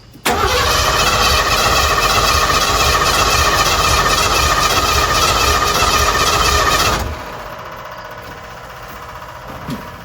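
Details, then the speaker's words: Tiny-home conversion van, sat abandoned a decade, on jump pack: steady cranking about four turns a second for seven seconds, never catches; fuel pump heard running, spark suspected missing. "The pump is definitely running. Try to crank it one more time and then we'll take the doghouse off and see if it's got spark. I hear the fuel pump running, but maybe it doesn't have spark."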